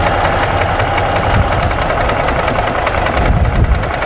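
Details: 2017 Ford F-150 3.5 V6 idling, with new phasers and timing chain failing to cure a knock: a hard, regular knock that doubles when the number 2 coil is unplugged, pointing to a piston knock in cylinder 2.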